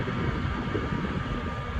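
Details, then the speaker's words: Comfort Zone CZ230ER 7500 W garage heater after shut-off: soft steady airy whoosh with a faint even tone and no knocks, the fan running about 90 seconds to cool the heating element; normal run-on. "if you shut it off and you see that it's still on give it about 90 seconds for the fan to run out and cool off the heating element inside"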